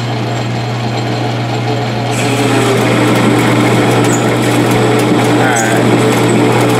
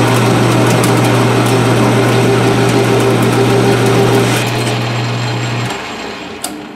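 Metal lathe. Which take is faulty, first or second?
first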